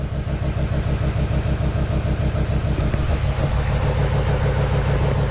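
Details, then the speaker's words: GMC Duramax diesel, first start after reassembly in a warm shop, with no coolant in the radiator, alternator disconnected and some items unplugged (check engine light on). It idles rough and lumpy at about three beats a second with clatter on top and sounds weird; cause unconfirmed. "we have a running diesel a running diesel a running diesel it sounds weird though I'm not going to lie"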